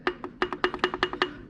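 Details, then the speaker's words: Land Rover engine removed after oil pump failure, metal chunks in the oil, connecting rod rocked by hand on the bare engine: sharp hollow clacks from a worn rod bearing with excess play; oil starvation, oil pump probably failed. "so this one's not nearly as bad but it's not good and that would be our rod knock right there so oil starvation issue the oil pump probably went bad on this"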